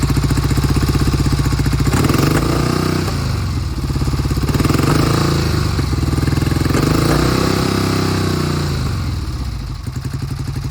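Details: 1971 Triumph T120 650cc twin, cold start after sitting for a long time: lumpy uneven beat with dropped pulses and surging revs, left cylinder repeatedly cutting out; intermittent misfire.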